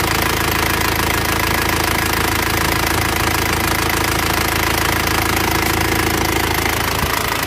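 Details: Loud idle of an Isuzu Panther diesel after repair for heavy oil consumption, a busy, even metallic valve clatter on top; valves still need adjusting, loose clearance; injection pump and nozzles still to be serviced.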